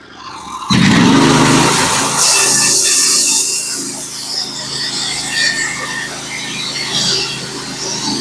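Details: Norwood HD36v2 bandsaw mill with a Stellicut band, cutting 1x6 fence boards: the engine holds a steady drone under load while the blade hisses evenly through the log, with no bogging or chatter; a healthy, clean cut.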